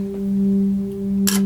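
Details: Kawai K3 hybrid synthesizer with one bad voice: a steady sustained note with a clean tone and a short click. That voice's filter control voltage never changes at chip pin 13, and pressing on the board restores it; a cold solder joint is suspected.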